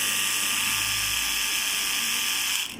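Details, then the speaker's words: Hair trimmer that won't cut hair: high buzzing motor with harsh ratchety chatter, then switches off; the cutting blade has worked loose. "इस प्रकार की इसमें आवाज आ रही है और जो हेयर जो वाल है वह कट नहीं रहे हैं तो इसकी जो ब्लेट है यह ढीली हो चुकी है"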